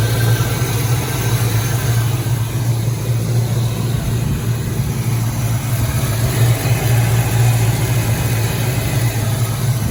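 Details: 1986 Mustang GT V8, original miles, sat a long time, new cap and rotor, warming at idle: deep idle that surges and wobbles instead of an even beat; running rough, suspected misfire, cause not yet found.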